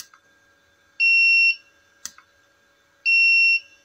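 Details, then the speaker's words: Tronic Alfa 800 studio monoblock flash after repair of power drop fault: sharp snap, then a steady ready beep within about two seconds, repeating; firing and recycling normally. "kita coba tembak nggak nyampe 3 detik ya 2 detik ya kita coba hitung ya 1 2A 1 2 detik dia udah Udah ready seperti itu ya"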